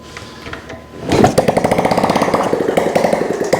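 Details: Honda ST70 kickstarted after a top-end rebuild, first start in years, with a new carburetor and no exhaust fitted: it catches after a couple of kicks and runs loud with choppy, crackly open-pipe popping at a fast idle; it runs normally.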